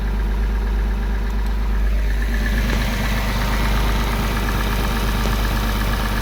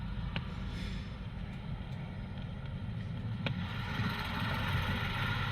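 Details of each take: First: Porsche 986 Boxster after IMS bearing replacement and reassembly, no engine light: starts and settles into a steady, even idle with a smooth low rumble and no knocks or misses; runs much smoother than before. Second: Porsche 986 Boxster flat-six, recorded before engine removal for IMS bearing replacement: uneven idle with an irregular low-pitched stumble in the exhaust beat; misfire, owner suggests fuel starvation or excess fuel, cause unconfirmed.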